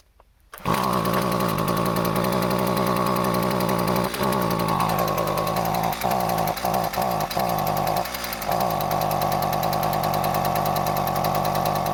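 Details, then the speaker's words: Husqvarna 128CD trimmer after replacing parts with a Chinese tune-up kit, run with choke: high two-stroke buzz dipping and stumbling with uneven surges, still smoking; runs rough, owner suspects untuned carburetor idle/mixture screws. "She ain't happy. Guess back to the drawing board."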